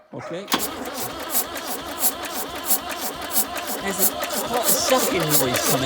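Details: Range Rover Classic turbo diesel that won't start, cranking again after bleeding the diesel; compression and fuel present, not seized; steady starter rhythm about three beats a second, never catches. A missing pushrod and a loose rocker nut were found afterwards.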